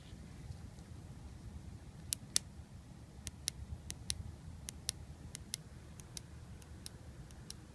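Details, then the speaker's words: Mitsubishi Lancer Evolution 560cc fuel injector on the bench, seals removed, hooked up alone and pulsed by hand; about a dozen crisp, sharp clicks, a good injector opening normally, unlike two others that neither flow nor click. "Very audible click through that injector."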